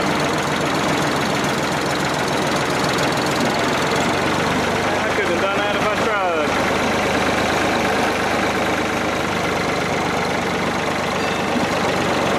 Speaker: yeah like my rat killing the way a old piece of equipment's supposed to sound